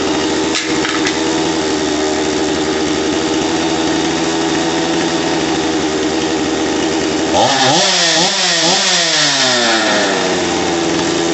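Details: Stihl MS250 chainsaw after swapping the faulty carburetor for an OEM one, cold start on choke, not yet warm: steady buzzing idle for several seconds, then revs rise and fall; idle no longer hunts. Owner notes an idle tick could mean an air leak.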